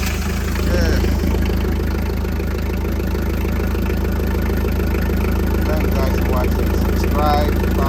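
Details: Hi-low forklift after no-start diagnosis (fuses good, power to starter and ignition, bad relay suspected); engine catches and settles into a steady, even idle at about 200 pulses a minute, no misses or knocks; normal start and idle.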